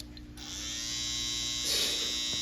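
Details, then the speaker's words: Babyliss FX cordless hair trimmer after fitting a brand-new oiled blade, switches on to a steady smooth quiet high buzz with no rattle, loud noise fixed and cutting again. "Wow. That's all I can say is, wow. Amazing. Reminds me when I first got it. Super duper quiet."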